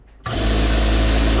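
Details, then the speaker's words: Basic 550 W servo motor (BG 550W or FESM 550S) on a sewing machine, set to top speed: steady high-pitched whir at one constant speed, smooth, no knock or grind; running healthy. "You can go really fast too. So I'll show you, put it at a really fast speed here for you. This is the top speed."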